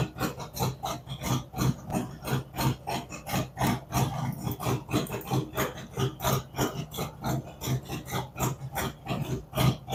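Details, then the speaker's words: Freshly built cammed V-twin on initial idle tune, warming toward 180°, idle dropping as temperature rises with only small map corrections; loping uneven potato thump about three beats a second, holding steady; normal idle. "as the engine temperature comes up and we're spot on with the map it's only making small increments changes as it goes along"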